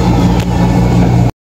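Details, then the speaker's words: Whirlpool sensor dryer after repair, drum previously only humming and overheating without turning: now a steady even low motor hum with the drum rotating, no knocks or scraping; working normally. "maos itong sensor dryer na papansin natin umiikot na yung unit okay na pwede na silang magtuo ulit"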